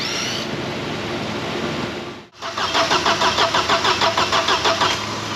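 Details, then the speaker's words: Vauxhall Cavalier 2.0 16V Ecotec (X20XEV), immobilised, cranked on a booster pack: starter churns about three beats a second and never catches; spark plugs soaked, engine over-fuelling and flooded; plugs to be dried and retried. "plugs are absolutely soaking but we shall dry them out and try again"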